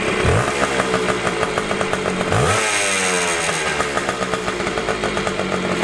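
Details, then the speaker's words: Two-stroke dirt bike (Honda CR500) idling fast and busy because the idle screw is turned in too far; after backing the screw out, a quick blip and the revs settle lower and smoother. "if you twist it in it'll idle really high if you twist it out it'll out lower you just want to listen to it and this Auto screw right here is just in too far"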